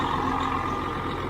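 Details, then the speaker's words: Twenty-year-old truck diesel with about 2 million miles, idling in neutral with the clutch down: short stretch of deep, steady rumble with no knocks or ticking; it sounds really good. "Listen to that thing. Actually, it sounds really good. Sounds really good, actually."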